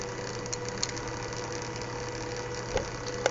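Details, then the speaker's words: Small fischertechnik motor driven from Arduino Mega2560 circuit, working after a half-out red power wire was pushed back in: low steady hum with faint whir, no rattle or stutter; normal running. "this wire was half out pushing back in but not only I get values even better this motor is working"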